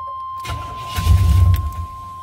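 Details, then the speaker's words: 1990 Chevy K1500 5.7L carbureted, crank no start, no fuel pump buzz heard: catches on starter fluid sprayed into the carb, brief low rumble under a second, then dies; no-start from fuel supply fault. "all right and now it's back to crank no start so because it started up for a quick second and turned back off that proves to me that it's fuel related because it started up when I sprayed the uh the starter fluid in there"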